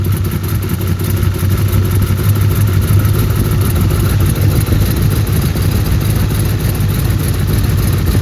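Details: Turbo Trans Am engine after partial overhaul (revised cylinder heads, new camshaft, adjusted valves, new turbocharger), first start on break-in oil, held at raised rpm for 30-minute break-in: loud, even low rumble, no knocks, ticks or misses; oil pressure great, normal fast idle.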